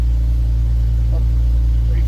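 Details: 2011 Jeep Wrangler JK, almost 130,000 miles, idling right after an oil change: steady even low idle at constant level, no knocks, ticks or misses; oil pressure good, no warning lights, no leaks underneath; engine sounds healthy.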